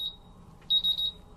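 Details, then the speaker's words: RAE Systems MultiRAE gas detector during a bump test with calibration gas flowing: fast, high-pitched triple beeps. All four sensors reach low alarm, so the bump test passes. "Now we can see that all the sensors are in alarm and all the alarms are functional on the instrument. So it means it passes the bump test successfully."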